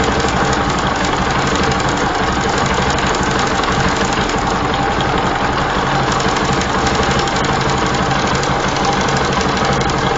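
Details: Bajaj Pulsar (Rouser) 135 LS with a Rolon bush timing chain; tappet clearances correct (0.05 mm intake, 0.10 mm exhaust) and rocker arms fine. Rough idle with loud irregular metallic clatter as the severely loose chain hits the upper cam sprocket; the bike also loses acceleration and smoothness.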